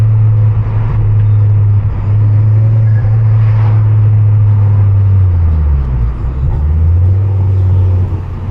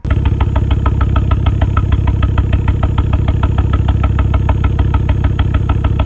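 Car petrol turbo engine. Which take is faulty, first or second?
second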